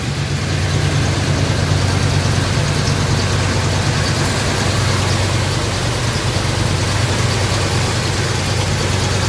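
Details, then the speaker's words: 1986 K5 Blazer V8 with new long block after blown head gasket, first start after oil priming and timing set: deep, steady low rumble, even, no misses or knocks; normal smooth idle. "it started it I have the timing set everything's good to go start it up see how smooth it is"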